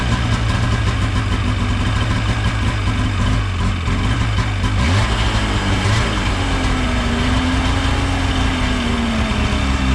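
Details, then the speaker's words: Ski-Doo 550F two-stroke after cylinder repair and reassembly, pulled over with choke off: fires up and settles into a steady, even idle with a deep regular beat and no knocks; sounds good, normal start and idle. "see that was a success sounds good"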